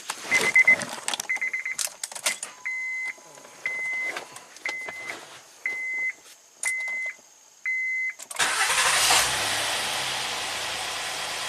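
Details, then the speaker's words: Honda Accord V6 with VCM cylinder deactivation, cylinder 4 misfire (P3497) and low compression on 5 and 6, restarted after front valve cover check: chimes, quick crank and catch, then even settled idle on all cylinders; front rocker oil pressure switch off. "okay it's happy front rocker arm oil pressure switch is off that's good"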